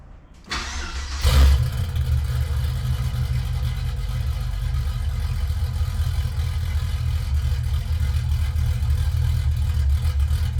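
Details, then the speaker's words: 1966 Chevelle LS2 V8, first start after Brian Tooley Racing Stage 1 cam, new valve springs and BTR valvetrain: cranks and fires after a second, settles into deep choppy loping idle; normal big-cam idle. "So we're gonna fire it up now and listen to that lope, let the computer maybe learn a little bit, and go from there."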